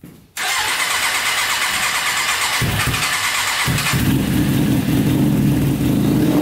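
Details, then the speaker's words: Custom 100hp Yamaha Banshee two-stroke quad on first start, fuel line clamped; rough, uneven run that stumbles and misses, misfire; owner suspects two middle carburetors not getting gas, possibly stuck needle. "all right you can hear it running for a little bit but i think we should probably clean out the carburetors just to play it safe we're having a problem with the two middle ones obviously i think they're not getting gas"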